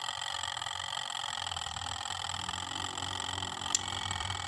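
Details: Sharp twin-tub washing machine, wash section previously not working, earlier worked on by a non-specialist: steady light motor hum with faint whir and one brief click; wash motor runs smoothly, normal.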